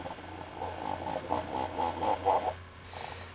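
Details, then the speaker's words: Failed Keurig coffee maker before repair: a faint, uneven buzzing pulse that fades as the pump barely turns and delivers little water. "so what i'll do is i will select that cup and turn this on and as you can hear the pump is hardly moving"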